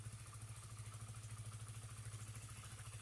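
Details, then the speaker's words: Honda CBR after repair of stalling and hesitation (spark plug cap and fuel pump/filter area cleaned, fuel pressure steady at 40 psi): steady even low putter at idle with no stumbles, now running normally. "Yang jelas, motornya sekarang baik-baik saja, tidak mogok lagi."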